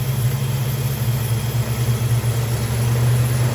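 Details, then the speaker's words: 1968 Dodge Dart sedan, 360 V8, Edelbrock carb, cold idle with choke not yet wired, timing checked first: deep, steady, slightly lumpy V8 idle, no knocks; idle mixture much too rich, wanting about one turn out. "she's a Lot a rich wow I guess we're going for one turn that's interesting"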